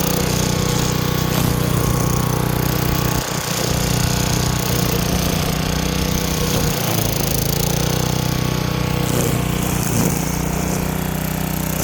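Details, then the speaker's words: Craftsman wheeled weed wacker, two-stroke, found dirty, missing its spark plug and sat for an unknown time; now running with a new plug, cleaned carb, fresh gas and choke off. Steady buzz while cutting weeds, dipping only briefly under load; running cleanly. "But she works. It was a lot easier than I thought it would be. Again, new spark plug, clean the carb, and she's good to go."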